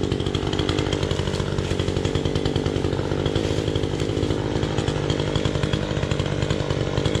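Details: Chainsaw with a loose chain: strong, steady high-revving buzz holding speed through the cut without bogging or surging; runs fine under load.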